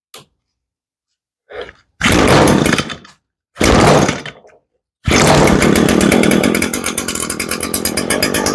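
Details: Echo PE225 edger two-stroke after replacing the fuel line and the carburetor with bad check valves; had bogged at full throttle and leaked fuel: a couple of short pulls, then catches into a steady, even buzz with no bogging; runs normally.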